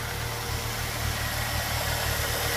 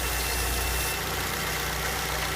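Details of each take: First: 2006 Ford Fusion G1 at 98,000 km, idling: a light, even toc-toc tick about three times a second, coming from the intake manifold rather than a head or valve problem or engine knock. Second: Smooth, steady idle with an even hum on a 2006 Ford Fusion G1 engine. The tapping "toc toc" noise, caused by a manifold issue and not engine knock, has stopped after the small hose was pulled off.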